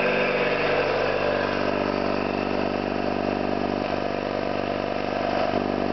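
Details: Orlík 2 JSK 75-2 compressor, one of the first starts after a full overhaul (concentric valves and seals redone), motor temporarily started in star due to household breaker; steady even piston chugging, no knocks or rattles, running normally.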